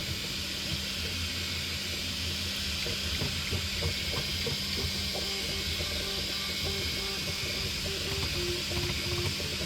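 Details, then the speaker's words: 3D printer slowed to 88%, then 78%, still moving too fast, slinging around at 72–145 mm/s: rapid stepper chirps and pitch-jumping tones over a steady hiss, harsh acceleration. "I just slowed it down to 88%. They're still really fast. Come on. 78. It's just too fast."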